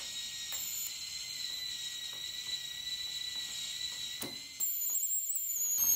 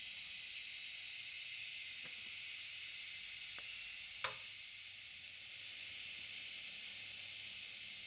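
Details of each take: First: TIG rig made from a DC stick welder converted with a manual argon-valve torch, tacking a plate: a thin high arc hiss drops out mid-run and restarts as the tungsten touches the workpiece. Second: TIG rig converted from a DC stick welder, welding stainless at 75 amps (down from 80) with argon flowing: a short crackle as the arc strikes, then a smooth, even, unbroken sizzle; steady TIG arc.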